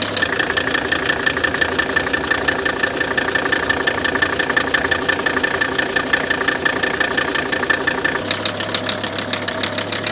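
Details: Newly acquired 1981 Mercedes 300TD (OM617 diesel), just started with a booster and no glow plugs, idles with fast sharp knocking clatter; unclear whether normal injector nailing.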